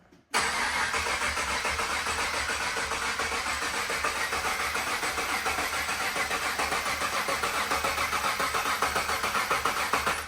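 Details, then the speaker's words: Supercharged LS V8 in a GU Nissan Patrol at its first start attempt: the starter cranks steadily for ten seconds and it never fires. Injectors can be heard; the fuel pump is suspected of not running. "But no, I feel like the fuel pump is maybe not running, but we'll see what happens."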